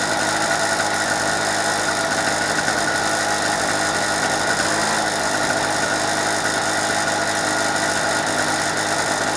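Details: Normal no-load running: a 2-stroke petrol generator bought in 2005, unused for 2 years, runs with the petrol turned off on fuel left in the carburettor (normally about 2 minutes), giving a smooth, steady drone with no surging or misfires.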